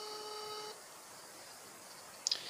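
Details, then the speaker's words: Elephone P7 mini phone speaker during a call: modem-like chord of electronic tones that stops when the speaker is disabled, then a tick; also occurs on receiving messages; speaker interference, cause unknown. "I'm making a call right now and watch The Sound comes out from the speaker if I disable the speaker the sound stops it's like doing like like it's a modem"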